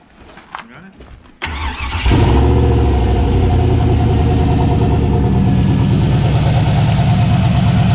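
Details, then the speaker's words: Turbo 6.0 LS V8 swapped into a Foxbody, first start: it cranks and catches, then a lumpy, stumbling idle shows one cylinder not firing. Swapping coils and plug wires didn't move it; not injector, coils or wires, and coil power or signal wiring is suspected. "all right so we changed the coils we switched them around and now we're gonna try starting it and see what happens no I could hear it again switch the spark plug wires"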